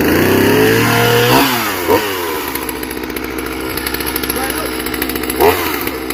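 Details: Chainsaw assembled from parts of three broken saws, chain tension just adjusted, first start: fires and revs, then settles into an uneven, rough-sounding run with a few rev bursts; no knocking or grinding, seems healthy.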